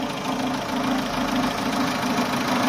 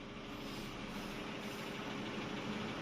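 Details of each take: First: Chevrolet Aveo with check-engine light since a DIY A/C refrigerant refill: covering the EGR hose to the throttle body gives a low, lumpy idle that nearly dies; released, revs swing up. Suspected intake vacuum leak at that hose. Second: Chevrolet Aveo after reassembly and sealing a suspected air leak around the EGR and sensor intake pipe (check-engine light had appeared after a self AC recharge): smooth, even idle settling near 800 rpm with no hunting or misfire; normal idle, engine light gone.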